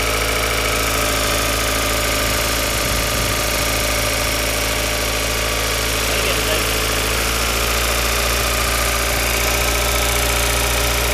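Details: Steady idle with an uneven tapping pulse of about three per second over the engine hum; odd noise of unknown origin, abnormal idle noise.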